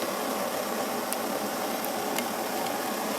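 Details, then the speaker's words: Svea 123 backpacking stove, warmed up with precise flame control: steady even hissing roar, no sputtering or surging, a couple of faint ticks; burner running healthy. "I mean, the flame control is beautiful. It's a great running little stove."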